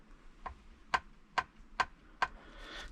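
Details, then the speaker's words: Ford Fiesta ST 180 front ball joint (press-fit with circlip, slight gap) rocked by hand in a quiet room: five sharp metallic clunks about every half second as a gap opens and closes; worn/loose ball joint causing clanks. "so this is what was happening obviously with the uh other joints so there's a slight movement let's see a bit of a gap opening here and it closes up and that's the clanks we got to do something about that"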